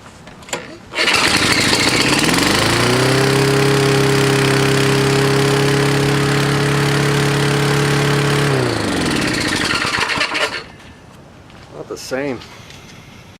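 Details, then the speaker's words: Toro Recycler lawnmower, indoors, testing the governor arm: the engine fires, climbs to a high steady roar, then sags instead of holding speed. The governor arm is loose and strips out, so it won't tighten and moves all over the place. "I just pulled this out of the governor you know this thing is just like strips out and stuff there just doesn't seem to get tight because I just went up to tighten it and the governor was moving all over the place so"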